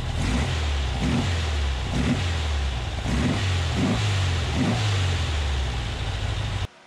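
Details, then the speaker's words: Porsche 356 flat-four running on new Chinese reproduction Solex PII-4 carbs after repeated synchronization and mixture and idle adjustment: smooth and steady with even throttle blips about once a second, clean pickup and no misses. "now the car runs really good it"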